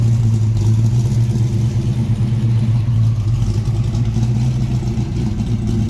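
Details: 1967 Ford Mustang V8 being inspected before purchase, warm engine: deep, even rumble without ticks, knocks or misfires; runs strong, temperature staying around 180; normal running.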